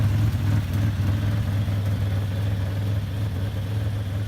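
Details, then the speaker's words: 1984 Buick Grand National, 114k, one owner, stored four years: even idle with soft, slightly uneven puffing under low rumble from an exhaust leak at a rust hole toward the rear of the exhaust. "exhaust leak from a rust hole towards the back of the exhaust it doesn't make the car wildly loud"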